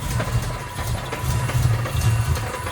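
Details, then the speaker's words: 1997 Mustang Cobra 4-valve engine, worsening valvetrain ticking: lumpy, uneven low idle with deep throb that barely runs and often dies while idling. "as you can see there does not run very well it doesn't even want to idle in fact it just often times just dies while it's idling"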